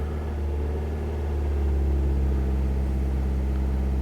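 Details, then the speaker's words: Normal idle right after a GOOLOO GP3000 lithium jump starter started a car with a totally dead battery: steady low rumble with an even beat, about 220 a minute, and no knocks or misses. It started with no problem. "And yeah, this started the car no problem. No problem at all."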